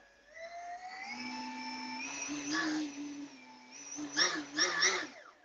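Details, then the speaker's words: Hobby King Galloping Ghost park flyer electric motor on a stand after vibration fix: smooth, even whine rising and falling with throttle, no buzzing, vibration, rattle or grinding; motor and bearings sound healthy. "as you can hear though there's no vibration at all so it's actually really good the motor sounds good the bearings sound good it doesn't sound all grindy or crunchy or weird"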